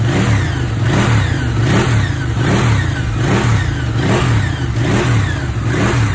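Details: Ducati 959 Panigale after its engine knock was repaired: the engine blips up and down about once a second, smooth and even with no knock or rattle; running healthy.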